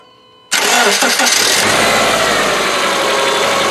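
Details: Petrol engine after fixing an exhaust-leak ticking found with a heater-hose stethoscope at a loose exhaust fastening: cranks, catches and settles into a smooth, even idle with no ticking.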